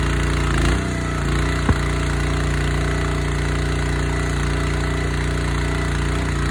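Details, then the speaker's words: Honda GX160 engine on a wood splitter, previously bogging and stalling under splitting load, running after carb clean (jets checked) and oil change: steady, even single-cylinder chug at constant speed, no surging, misses or knocks; normal running. "Sounds like it's fine."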